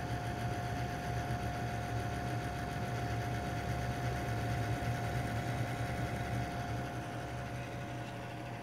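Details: Corsair AF120 LED Quiet Edition 120mm exhaust fan, under a year old: steady mid-pitched whine over a low, fluttering, rattly buzz, only at boot-up and gone afterwards; bearing noise suspected.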